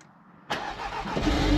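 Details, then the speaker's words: Mark 3 Audi TT, first start after water pump and thermostat replacement and coolant refill: brief crank, catches cleanly within a second and settles to a steady idle with no stumble; healthy start, no leaks seen. "let's start it and see what happens if it starts"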